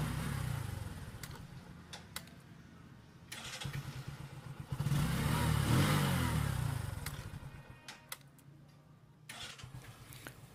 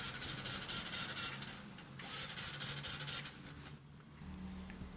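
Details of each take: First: New Bajaj CT125 single-cylinder bike that stalled on the road and would not start, running normally again after being held at high rpm to burn off carbon: steady low thump with one brief rev. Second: New Bajaj CT125 motorcycle that died mid-trip and won't start by electric start or kick: starter whirs fast and unevenly but the engine never catches, a no-start from lost compression, common on the CT125.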